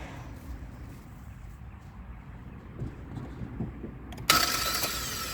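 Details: 2011 Hyundai Sonata starter: quiet, then high-pitched whirring spin with no cranking; plunger not pushing pinion out to ring gear on torque converter, starter freewheeling, needs replacement.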